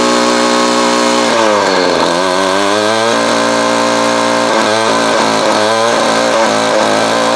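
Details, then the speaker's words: Vintage Craftsman 22.2cc 14-inch two-stroke string trimmer, estimated early-to-mid 1980s, original spark plug and fuel filter, fuel line replaced and carb cleaned; steady high buzz, brief dips on throttle changes recovering cleanly; runs healthy. "This thing is a freaking classic, man. And still runs like a champ. They definitely don't make them like this anymore."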